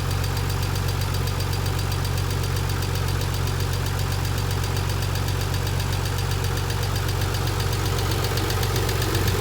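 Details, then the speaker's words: 1990 Nissan 300ZX twin turbo with used JDM replacement engine at idle: fast, steady valvetrain tick from hydraulic lifters starved of oil pressure; one removed lifter was found broken. "i had replaced the engine with a jdm used engine and i ended up with a lot of engine noise here's what it sounds like"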